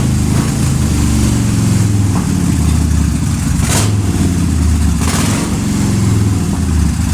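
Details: 2005 Suzuki Boulevard S83 V-twin, sat about four years, carburetor cleaned and rusty tank treated: steady low lope, even, light blips, no knocks or misses; normal idle.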